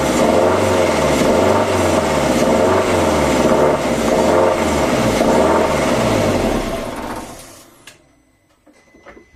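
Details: 2003 Audi A4 B6 1.8T BFB 163 PS after replacing timing belt and water pump and setting timing: engine runs with a rhythmic rattling pulse near three per second before shutting down; source unclear.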